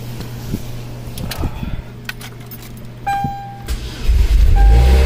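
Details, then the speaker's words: 2003 Cavalier 2.2L Ecotec supercharged 5-speed that only clicked with no crank, after voltage-drop testing and battery reconnected. A click and crank, then it catches at about four seconds and runs steadily: normal cranking and start, fixed without parts. "look at that guys look at that we fixed it no parts needed"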